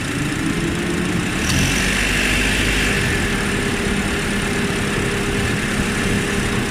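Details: Honda Odyssey RB2 K24 engine knocking while driving at 1600–1800 rpm under load: loose, uneven knock over the drone, about four times a second; cause unclear.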